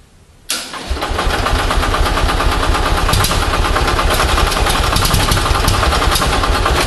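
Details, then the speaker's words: Onan 6.5 kW generator set fired by Arduino Uno ignition pulses to a Toyota coil-near-plug pack, first test: cranks then catches into a ragged, uneven firing rhythm about 3.5 beats a second; misfiring, owner blames a timing problem. "something's happening that's firing but I've got a timing problem"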